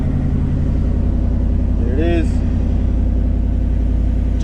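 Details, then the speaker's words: 1962 Chevy Impala V8 just fitted with a Powermaster 150 A one-wire GM-style alternator, running in the garage: a deep, even idle with no misses or knocks. Charging jumped to just over 14 V. "Jumped right up, about 14 volts, a little bit over 14 volts. Yeah, it started right up."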